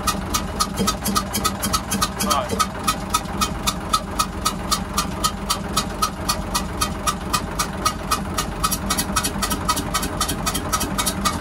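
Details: Hyundai 6D16 diesel in a boat with a sudden hissing ("xẹt xẹt") noise, restarted and blowing lots of air. A sharp regular hissing puff, about four a second, rides over the idle.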